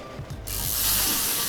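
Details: Pist (track) frame bicycle built as a single-speed freewheel: fast, light ratcheting clicks from the rear hub as the wheel coasts; normal freewheel pawl sound, nothing rough or grinding.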